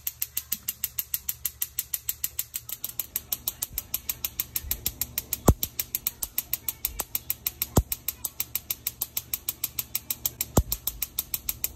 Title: How To Fix A Gas Stove Igniter That Won't Stop Clicking